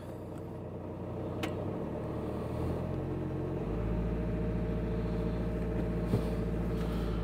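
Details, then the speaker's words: VW Crafter diesel van after replacing faulty jumping auxiliary belt tensioner (initially blamed on alternator) and fitting new 180 amp alternator: steady, smooth low idle rumble with no belt slapping or chatter; runs quiet and healthy. "the engine's A lot quieter that's that was a big thing that was obvious before when the tensioner was jumping around"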